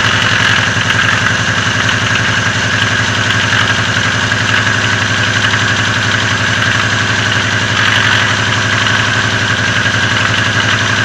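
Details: Lada Oka engine at idle: faint even tapping under the exhaust note, present for a long time and growing louder, disappears when revs rise; valve clearances within spec, cause not found.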